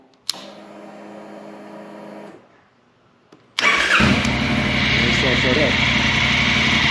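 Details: 2019 Honda Africa Twin after low-speed drop in muddy snow that left it clicking and not starting: starter cranks briefly, twin catches straight away and settles into a steady, even, healthy idle.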